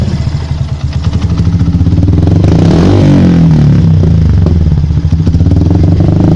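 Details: Yamaha Byson motorcycle: uneven crackling pops of roughly three per second ride over the engine note as it revs; the exhaust keeps backfiring even after the air-injection hose was blocked off.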